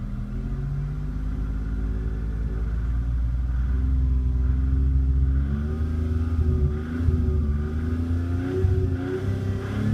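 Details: 1991 Toyota Camry engine pulled up through the revs under load with a dull, speed-following knock; stethoscope finds more noise at the bottom end than the top of cylinder #2; rod or bearing knock suspected, oil pan removal pending.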